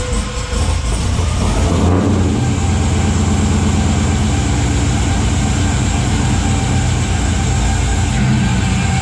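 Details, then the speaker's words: Third-gen car first start after bell housing/transmission reinstall and sitting about a month and a half, battery swapped in from a Trans Am, cobwebs in tailpipe: brief crank then steady, even, deep burble, no knocks or misses; normal start and run. "it sounds good"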